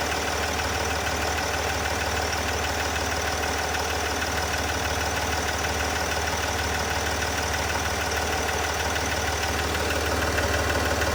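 Steady idle with a light, regular tick about three times a second riding over the diesel clatter; a ticking noise whose cause isn't clear.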